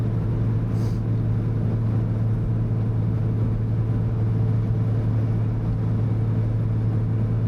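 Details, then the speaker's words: 1971 Jaguar E-Type Series 2 4.2L inline-six, four-speed manual, at about 65 mph in third gear after restoration; smooth, steady drone with no gear whine, clunk or grinding, transmission and clutch sound good. "Transmission sounds good. Clutch feels good."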